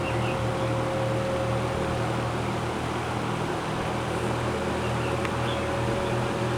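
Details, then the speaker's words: General Electric GE 20-inch box fan model F17W12, around 60 years old: smooth, even low hum with a steady air whoosh and no ticking or rubbing as it ramps to high; healthy motor running normally. "these old box fans they always give off that distinct low frequency sound to them I can come in a room with my eyes closed and know that yep that's the sound of an old box fan running they always have that distinct low pitch frequency sound"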